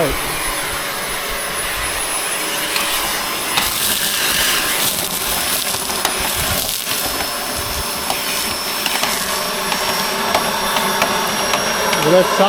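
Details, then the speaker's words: Dyson 1,100W vacuum cleaner powered from a DJI Power 1000 station gives a loud, hissy, strained and uneven rushing roar: debris was stuck, blocking the airflow. "like it's stuck somewhere yeah problem something got stuck"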